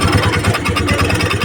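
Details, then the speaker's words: Honda Dio scooter on single (side) stand: fast rhythmic rubbing chatter over steady idle, heard only when running on the stand, not when upright; starter pinion (bendix) dragging on flywheel. "ऐसा आवाज आ रहा है सिर्फ छोटा सीधा करने पर नहीं आता है सीधा करने पर नहीं आ रहा है कलने पर आ रहा है"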